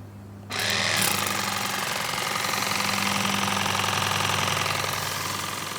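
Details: Nevadent water jet flosser (Lidl) on jet setting, emptying a full 130 ml tank in about 50-odd seconds: fast, even buzzing pulse about three to four per second with steady water hiss; pump running normally.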